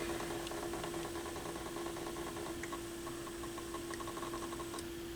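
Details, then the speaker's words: Pioneer PL-707 turntable at initial evaluation before repair: a steady low hum with quick, fairly regular light ticking while the platter runs. A mechanical noise of unclear source, possibly a lubrication issue. "there's a noise coming from somewhere but uh that's good for I mean that's very promising I'm happy to see that my fear was that nothing would work it sounds like a mechanical maybe a lubrication issue somewhere with this"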